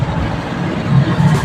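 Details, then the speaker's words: Yamaha NMAX scooter that would not start despite a charged battery, after a temporary repair of a burnt stator terminal and socket: short start attempt, then a steady even putter with no misses; runs normally. "Tin sig start yun oh umaandar na Oha aandar na yan nasunog lang yung terminal sunog yung socket mga kapusa"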